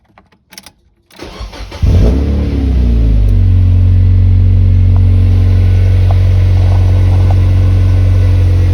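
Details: Mazda NB Miata after AC delete, started to check the reinstalled, possibly slightly long drive belt and tensioner: brief crank, catches and flares, then smooth even idle with no belt squeal or chirp; belt fine.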